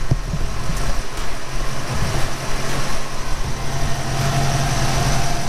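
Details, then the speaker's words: 1991 Ford Fox body Mustang GT convertible idling in neutral after bellhousing clutch-side repair of a rattle that eased when the clutch pedal was pressed: low steady rumble, slight vibration, no rattle; normal idle. "no more noise"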